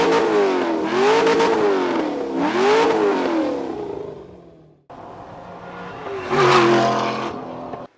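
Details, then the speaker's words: LS V8-swapped Porsche 996, warm, on a new custom exhaust rerouted so the starter no longer overheats: deep V8 note sweeps up and down through repeated blips, revving cleanly and returning smoothly while shooting flames; healthy. "Dude, this thing is shooting flames, man. Yeah, we're pretty good at that, so. That sounds great."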